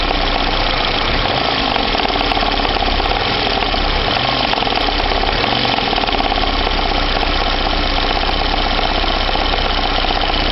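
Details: VAZ 2109 engine idling, warmed to operating temperature, with a persistent rapid metallic knock. It began two days ago and stays the same when warm; an engine knock whose cause still needs tracing.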